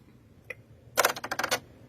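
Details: Viking Designer Diamond sewing machine, recently serviced, pressing OK in sewing or embroidery mode: single click then burst of about eight sharp rattling clicks in half a second; nothing found under the plate, cause unknown.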